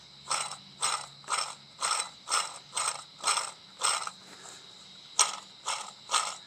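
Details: 2007–2010 Toyota Sienna 3.5 2GR-FE, lower idler pulley (between crankshaft and power steering pump) flicked by hand: rough, gritty whirring bursts about twice per second; worn, dry bearing causing belt-side grinding, pulley replaced.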